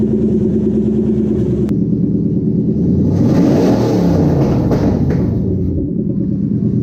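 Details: 2003 Toyota Hilux pickup with swapped-in 3UZ-FE Lexus V8 on a Link Thunder ECU, first start after power steering bleeding: loud but steady V8 rumble, a smooth rev swell settling back to an even idle, no knocks; normal idle.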